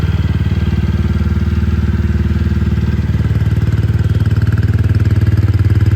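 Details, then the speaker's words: TVS Ronin single-cylinder, first start after full engine teardown for an internal noise (first thought clutch): steady even idle, no tapping or knock; exhaust keeps its old crispness, suggesting no valve or compression leak. Normal idle. "എക്സോസ്റ്റോണിലൊന്നും change എനിക്ക് feel ചെയ്യുന്നില്ല. ആ പഴയ ആ ഒരു കമ്പിനെസ് തന്നെ ഉണ്ട്."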